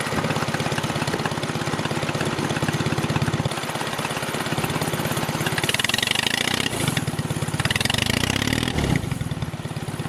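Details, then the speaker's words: Small chain-drive vehicle's first test drive after carburetors hooked up: engine chugs and bogs as load comes on, note sagging instead of climbing; gearing too tall, geared for top speed; rear sprocket change considered. "But one thing we did learn, the gearing is too tall, and since it's geared for top speed, that does make sense."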